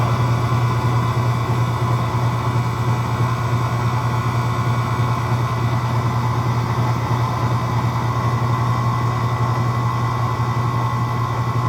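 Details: 1979 Chevrolet Camaro alternator on a bench tester: steady hum with a rough, gritty crunch from worn bearings; output is 14.86 V and it passes, but it's not supposed to sound like that.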